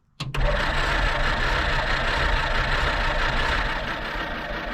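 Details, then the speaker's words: Abandoned 1946 Jeep Willys CJ-2A after sitting for years, first start attempt with new plugs, battery hooked up and a rigged gas can; steady fast chugging as the starter turns the engine over without catching; hard start after long storage. "yeah you got to put some fuel in it yeah all right let's try again go ahead she's trying to run give her some gas"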